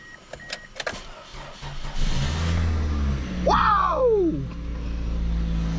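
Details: Toyota Matrix starting after a dead battery (battery had been disconnected): engine fires after a short crank and drops into a low, even idle with no misses or knocks; running normally.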